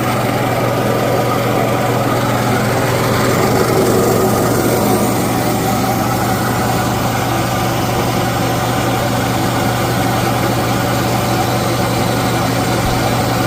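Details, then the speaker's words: Used air compressor, just bought and cleaned, with a new filter fitted and an oil change still pending, on a test run: an even, steady motor hum with constant low pulsing and no knocks or rattles. Normal running. "All right, as you can see, it's up and running. I got it going."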